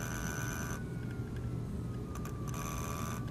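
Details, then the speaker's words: HP laser printer polygon mirror DC motor (M63151FP controller, 24 V supply) with its PWM duty cycle raised from 55 to 65. The thin high whine slides lower as the motor slows and stalls. "if I adjust it to 65 it stops you can hear it stopping the motor's slowing down and it's going to"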